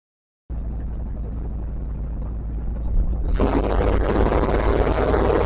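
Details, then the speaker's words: Moose on a night drive after fixing the rough running that began with the new radiator install: deep, even engine rumble swelling smoothly as revs climb, no misses or stumbles, more throttle response; normal running. "we took it for the little night drive that you saw everything worked well it's running hella better really enjoy it"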